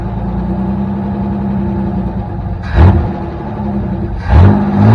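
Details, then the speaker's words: Chevy S10, probably a 1984, 2.8 L carbureted engine, HEI ignition, choke off: uneven lumpy idle with two throttle blips, won't idle; owner suspects a vacuum leak or a misadjusted throttle screw. "Trying to keep it running, it won't idle. Either I've got another vacuum leak somewhere."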